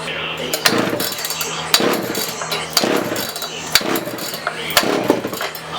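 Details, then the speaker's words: Early-1980s (1981) Poulan Counter Vibe 4000 chainsaw, unused for years in a shed, fresh fuel added: rough pull-start bursts about once a second, coughs each pull but won't keep running; ignition module found caked with dirt. "we know it was apparently getting some fire because we heard it try to Crane and this is probably not the only problem"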